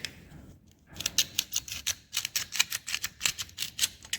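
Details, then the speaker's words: Removed starter from abandoned Kymco Mongoose 250cc quad that drew current but would not turn over, shaken by hand: sharp loose clattering of broken pieces inside the housing; broken starter magnets. "that's why the starter wasn't want to turn over"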